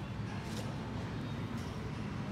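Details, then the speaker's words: Yamaha Sirius 110 Fi motorbike at nearly 260,000 km, after engine rebuild: steady, even low idle rumble, the earlier worn-out knocking (cọc cọc) gone. "Mình làm lại nó không còn kêu cọc cọc nữa nha Đây Thấy không đúng zin nó là nó chuẩn nó không có kêu còn gây kia chạy nhiều quá nó kêu cọc cọc cọc n nó không có còn rơ nữa ha"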